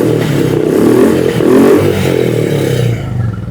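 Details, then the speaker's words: Royal Enfield Classic 350 BS6 J-series, 32,966 km, after fixing misfiring: starts on one self press, single-cylinder thump rises smoothly with throttle and drops back, no missing or stumbles. "हम कितना भी थ्रोटलल देते हैं तो bike missing नहीं कर रहा है एक सेल्फ में बाइक स्टार्ट हो रहा है परफेक्ट थ्रोटल ले रहा है"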